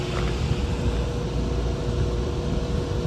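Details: Carrier ground-based rooftop unit with no heat on a 16° morning, after new A49 blower belt fitted looser and high limit reset: steady even low rumble with faint hum, no squeal or slap; blower runs smoothly, a limit still open.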